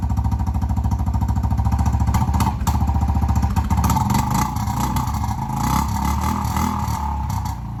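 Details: Kawasaki Prairie 300 ATV before the muffler swap, with a gutted stock muffler (internals and spark arrestor removed): loud, crackly single-cylinder bark that grows harsher as it revs up and down.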